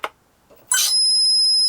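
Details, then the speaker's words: Sinbad balsa RC plane before its maiden flight, motor not yet working: a click, then a steady high electronic tone lasting about a second, source unclear; everything but the servos put back in, to find the noise. "Ooh. I'm not sure what that can be. It could be. Let's take the battery out so it's not so close."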